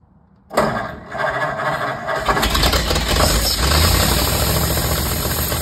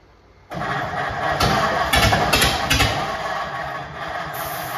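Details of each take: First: 1950 Ford F1 flathead just reinstalled, no exhaust or muffler fitted: cranks, catches within a second, then a loud, even open-pipe idle with no knock; healthy normal idle. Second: 1950 Ford F1 flathead just reinstalled: catches after cranking then runs ragged with irregular sharp pops and backfires, mostly popping through one side; misfire, possibly from crossed spark plug wires.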